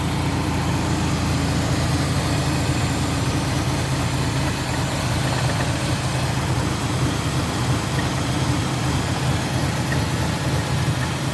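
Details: Nissan Frontier petrol engine idles with a low, uneven, lumpy beat that never settles; owner says it runs great with throttle, rough only at low rpm.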